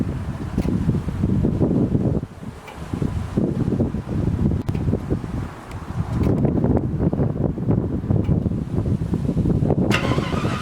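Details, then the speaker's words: 1980 Chevy C20 with a swapped 4.8L LS V8, first fire-up after the swap: loud, rough open-manifold rumble, steady and low with some wind buffeting. It fires and settles into a normal idle, starting just as it was supposed to. "well guys that felt pretty good it fired up just like it was supposed to"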